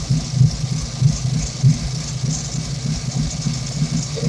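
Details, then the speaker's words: Ford SVO 351W V8 idling, recorded at engine bay/exhaust, TPS set to 0.97, codes P0118 and P0998: a lumpy rumble with a mild surge. One vacuum leak at cylinder 7 remains unrepaired. "still doing that surfing out the top a little bit"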